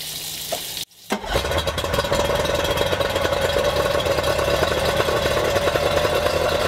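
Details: Yamaha outboard run out of the water on a two-sided dual-entry flush muff with water flowing: brief cough at start-up, then a steady, even idle with a quick regular patter; muff worked surprisingly well; normal idle.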